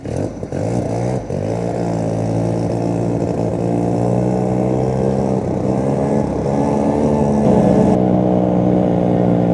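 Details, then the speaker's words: 1971/72 Arctic Cat Panther snowmobile, Sachs Wankel 303 rotary, over 50 years old, in about 15-below cold: steady held throttle, buzzy note wavers and stumbles; running rough, owner suspects fuel issues or original crank seals, before tune-up and rebuild. "see right there steady holding that throttle she's starting to uh run a little rough"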